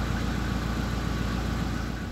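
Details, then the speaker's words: SsangYong Musso that had lost idle on a cold engine, after replacing the engine temperature sensor. Cold start with idle raised to about 1000 rpm and no stalling. Smooth, even idle with a steady beat and no knocks: normal idle while warming up. "обороты поднялись тысячи сейчас на холодную даже не глохнет"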